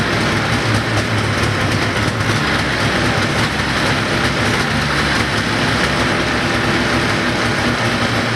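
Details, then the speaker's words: 1980 Ski-Doo Everest 500 fan-cooled two-stroke snowmobile, first start with a doubtful low compression reading, started on mixed-gas spray; steady even buzzing with no misses or knocks, sounds healthy, normal running. "i think sounds pretty good actually i mean it sounds healthy"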